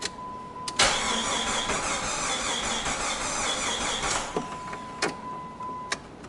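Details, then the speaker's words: 1999 Jeep Grand Cherokee: the starter churns steadily for about three seconds without catching, then chimes. Cranks but won't start, traced to a bad crankshaft sensor. "hi there we got a 99 Jeep Cherokee Grand Cherokee no start see what it sounds like"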